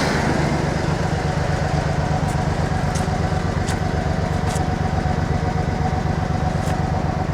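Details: Cold idle of a Ford F-150 inline-six, running one or two minutes after reassembly with new gaskets. Even, steady idle with a regular low pulse and no knocks or misses, amid smoke and oil in the cylinders and exhaust pipe; normal, just still cold.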